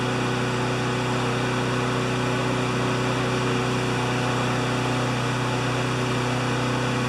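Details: Honda GCV160 walk-behind mower after the governor arm was bent to adjust it (previously ran about 6,000 or 2,000 rpm): a steady, even high-pitched drone at governed maximum of about 3,589–3,612 rpm by spark-counting tach, no hunting. The uploader thinks max should be 3,100–3,200.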